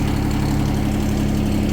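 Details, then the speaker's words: Yanmar 3TNV70 diesel swapped from a John Deere Gator into a CAT 300.9 mini excavator, started without glow plugs connected: steady, even, quiet low idle, no knocks, misses or smoke, quieter than the previous engine; normal idle. "Well, it cranked right up. No glow plugs It's very quiet. A lot quieter than the other engine."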